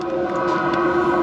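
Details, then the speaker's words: HLN diesel coolant heater newly installed on truck, cold snowy conditions, batteries cutting in and out: even, steady mid-pitched hum, no surging or rattles; heater circulating coolant and warming up. Normal running. "can hear it running. It's definitely circulating and warming up on me."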